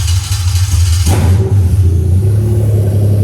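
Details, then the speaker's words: 1JZ-GTE non-VVTi swapped into a Lexus IS300 on a Syvecs S6 GP ECU with a plug-and-play harness: brief crank, catches at once and settles to a steady fast idle of about 1500 rpm while coolant temperature climbs; normal start and fast idle. "Yeah, just about 1500 RPM there."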